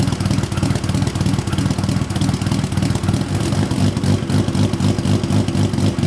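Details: Built Nissan RB26 in an R32 GTR (fully ported/polished head, 260 Tomei cams), just fitted with a new loud exhaust and muffler: loud choppy idle about four pulses a second with uneven lope and crisp blips, rotary-like. Normal lumpy cam idle.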